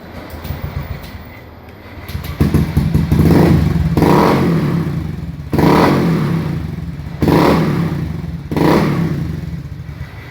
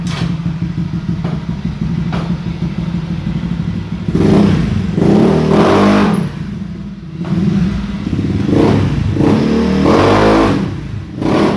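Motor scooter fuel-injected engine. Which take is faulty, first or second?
first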